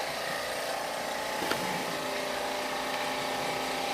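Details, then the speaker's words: Oxygen generator compressor running after it had been stuck and was given a flick to start: a steady, even-pitched hum with no knocks or scraping, running smoothly; a dirty compressor is suspected and it is to be oiled. "might just be a dirty compressor sounds good so far we got oxygen and there's our pressure valve"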